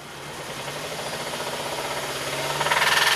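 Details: 2006 Mazda 3 2.3 L, heard through microphones on top of and below the engine: a regular knock about four times a second over rising revs that stays put with an injector cut, pointing to a rod knock.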